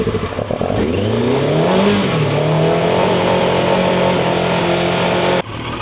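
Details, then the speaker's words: Turbo Yamaha motorcycle, unused about 40 years, after cleaning carburetors that had debris in the bottom: the engine picks up and revs, holds a strong even note while warming, then cuts off. Running cleanly. "It runs faster than before. Like the horse is like it's down and out."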